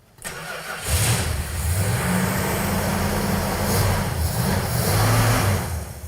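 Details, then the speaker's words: Road Runner V8 after budget power upgrades including a new Holley carburetor: catches after a short crank and settles into a steady, even burble with no miss or knock; runs perfect. "runs perfect. >> I don't even know if I need to adjust this. >> Man, that thing's just purring like a kitten."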